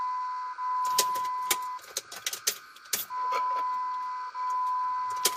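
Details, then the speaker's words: 2004 Jeep Grand Cherokee 4.7 High Output, 225,000+ miles, after fuel injector replacement; key cycled three times without starting to check for leaks; high thin electric hum about a second each cycle amid clicks. Normal fuel pump priming. "do this three times [Laughter] and i've heard the fuel pump kick on each time"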